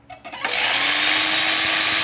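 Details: Philco All in One PR2 food processor that would not turn on, now tested with switch bypassed and safety lock eliminated, at maximum speed: spins up within half a second to a steady, even high-speed whir with no rubbing or grinding; healthy.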